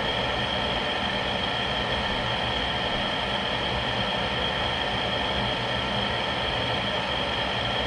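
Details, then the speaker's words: New vent blower on a GE (Rheem-made) power vent water heater, running minutes after burner ignition; steady even rush and constant hum with no rattles, scrapes or surging, old bearing noise gone after replacement. "and we have ignition I hear the flame is on after the first minute it's still sounding fine a few minutes later"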